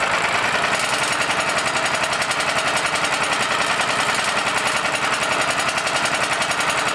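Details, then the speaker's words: Honda GX390 generator engine, used for welding and unused for quite a while, after fitting a new tri-fuel carburetor and adjusting idle: on gasoline, fast even chatter at steady speed, no misses or surging; normal running. "But it runs good on gasoline. We've confirmed that. It's solid on gasoline."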